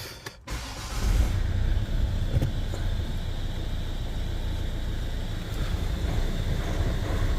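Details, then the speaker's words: Volvo V70 after timing belt replacement, with new alternator belt tensioner fitted to fix a noise: brief start-up catch, then steady, even low hum with no squeal or chatter; normal idle. "So far so good anyway. Certainly seems a bit better."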